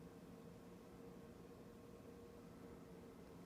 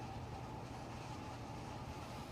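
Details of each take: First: Lower oven of a double oven set to bake at 350: the fan is barely audible, only a faint steady low hum, normal, unlike the noisy upper oven whose fan runs constantly. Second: Kitchen double oven, upper oven baking at 350: abnormal whirring noise with pitch wandering up and down, present even after convection fan stops; runs from turn-on until cooled down; repair visited twice, said functioning properly.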